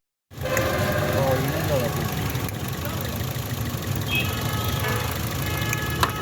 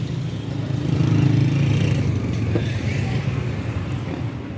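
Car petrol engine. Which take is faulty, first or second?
first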